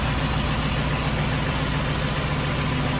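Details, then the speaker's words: 2006 Ford F-350 with a used 5.4L 3V V8 just installed, on its true first start. It gives a steady, even low idle with a smooth exhaust note, no ticking, knocking or exhaust tick, and no smoke, and sounds healthy. "That was the true first start. No smoke. Sounds good."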